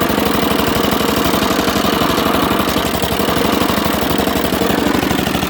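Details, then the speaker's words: Dixon ZTR Kodiak SE 60-inch mower, first start, choke on, half throttle: engine chugs at a ragged, uneven beat with pulses dropping out and keeps shutting off whatever is done; cause unknown, head gasket previously changed. "Why is it Why is everything shutting it off? Let's shut it off. No starting. No, this thing is all sorts of messed up."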